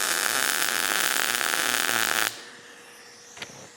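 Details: Everlast PowerMTS 141Si 120 V inverter multi-process welder, MIG at 21 volts, wire speed around 160 inches per minute: even, steady crackling buzz for about two seconds then clean cutoff; smooth, well-set arc.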